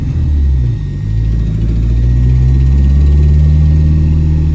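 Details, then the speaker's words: Dodge Neon driving at light load, just topped up with about a quart of oil after running nearly empty: a low, throaty rumble with an uneven puffing pulse. An exhaust leak is suspected, not a knock. "you can hear that exhaustly yeah it's not a knot no it's an exhaust leak"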